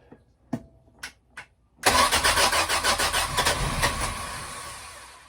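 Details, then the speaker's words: Sea Ray boat engine after winter, with the carb jets checked and the float bowl filled. A few clicks, then steady cranking at about 3.5 turns a second that never fires; hard start, with flooded cylinders suspected since the plugs came out wet. "hmm I'm judging by these plugs one was actually full let's dump it out getting its fuel I'm thinking the cylinders are just flooded"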